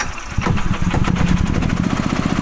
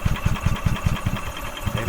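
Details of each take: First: 2012 EZGO TXT gas golf cart, Kawasaki engine, after crank-no-start with no spark, likely a bad spark plug: catches at once and settles into a steady, even single-cylinder thrum; runs normally. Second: 2012 EZGO TXT gas golf cart, Kawasaki engine, wouldn't start after parking, fuel smell: rhythmic starter chugging, about five low thumps a second, never catching; crank no start, fuel pump working, fuel suspected blocked at the carburetor.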